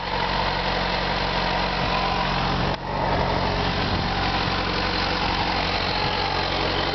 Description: Ticking noise on my FZ6.